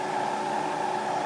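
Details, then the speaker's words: Bridgeport milling machine spindle on a newly installed VFD, switched to reverse and brought up to speed: smooth constant fixed-pitch whine, no roughness or catches; runs cleanly in reverse at speed. "even flip it in reverse while running it'll come know stop and flip right around"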